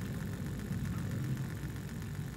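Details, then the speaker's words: Trix Collett 5600 model locomotive being rebuilt, wheels held in with the base plate, after metal debris was removed from an idler gear tooth, run on a small voltage; low, even whirr with steady pitch and no grinding: motor runs fine. "and if I just apply a small voltage it runs fine"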